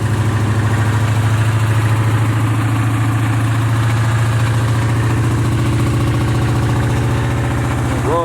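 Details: Big V8 in a box Chevy idling with a loose, uneven knock on the low rumble, roughly three a second; owner suspects a bearing. Cause not confirmed.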